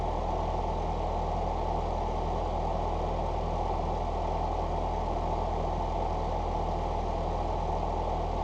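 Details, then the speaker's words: 1989 Ford Mustang Fox 4-cylinder after injector rebuild, new exhaust and IAC reset (IAC unplugged, battery disconnected 30 minutes): steady idle about 900 rpm, smooth even low rumble, no knocks or misses; ECU may need ~75 miles to relearn; normal idle. "about 900 RPMs which it called out in the Forum that I called out in the Forum that it can take upwards of 75 miles for the actual computer to reset and relearn its new base idle"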